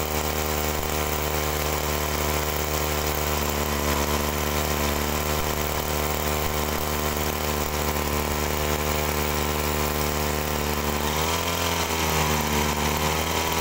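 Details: Two-stroke agricultural sprayer engine bogs and sags ("ngok") under throttle after carburettor reassembly; mixture screw turned anticlockwise without curing it; owner suspects carb pump fault and plans to swap in a known-good carburettor to confirm.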